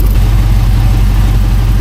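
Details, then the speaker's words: Suburban warming up at idle, recorded under the vehicle. Steady deep rumble with a fast puffing pulse from an exhaust leak at a blown flange gasket. The catalytic converter has been removed, with a Flowmaster muffler and a small H-pipe fitted. "I heard an exhaust leak you can probably hear it from where you're at maybe not trust me there's an exhaust Lake let me show you right there this flange G basket is blown out right there"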